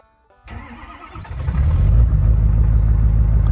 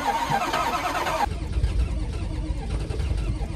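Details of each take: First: it didn't even miss a beat this old truck we got from West Motor Company it's been a d it's always start in the morning it runs perfect it drives perfect Second: Ford Power Stroke diesel at 14°F, hair dryer warming intake, sixth try: starter cranks in bursts, engine trying to catch but never running; cold no-start, fuel gelling suspected.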